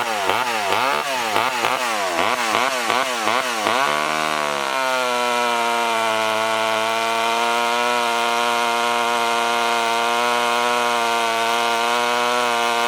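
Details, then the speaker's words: Poulan 1800 Wood Shark chainsaw after carburetor removal and rebuild, six-pin sprocket, hand-filed chain: revs rise and fall, then holds a strong steady high buzz without bogging while cutting chips; healthy. "this definitely ain't winning any races and you could probably see the chips coming off of that"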